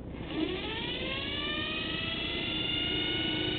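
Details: 24-volt forklift DC motor without permanent magnets, recently acquired, wired the proper way after a test run off the energized outer field coils, armature probably hot: spins up smoothly into a steady whine that rises slightly then holds, no knocks or grinding; normal run.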